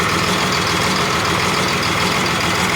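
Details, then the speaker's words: Cummins bus diesel, sat outside nearly 3.5 years, just started after bleeding: loud, lumpy idle with a rough, uneven knocking beat. One cylinder is not firing, believed to be air still in its line. "all right we got it close now that should be it we still got one got air in it still"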